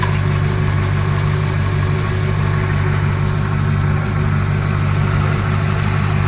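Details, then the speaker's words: Ford LTD Crown Victoria V8 converted to EDIS ignition with a 1994 Lincoln Town Car ECU, tune unfinished: deep idle with a slightly uneven, choppy beat because the ECU expects AODE transmission inputs and thinks it is in Drive. "the idols a little a little choppy right now because the 94 ECU is expecting inputs from a aode transmission which is what the 94 town car came with so it thinks it's in Drive right now"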